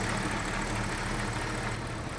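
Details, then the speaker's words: 2004 BMW 545i E60 V8, a salvage-auction car, idling while warming to operating temperature: smooth, even low burble with no lifter ticking, knocking or belt squeal. The engine sounds healthy. "I mean, it sounds good. There's no like lifter noise, there's no knocking. And no squealing from the belts."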